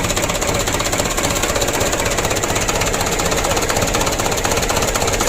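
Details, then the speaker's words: Mitsubishi Canter 2007 diesel freshly rebuilt, first start, idle raised: even diesel clatter about four knocks a second, revving cleanly without misses; running well, idle roughness eased. "bagus naik lancar ya RPM ya supaya langsamnya itu tidak terlalu parah goyangnya kita naikkan"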